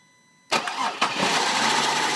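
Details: CTS that won't start, jumped manually via the yellow wire: quiet, then a sharp burst and a second surge before a rough, unsteady run. It won't stay running; cause unknown.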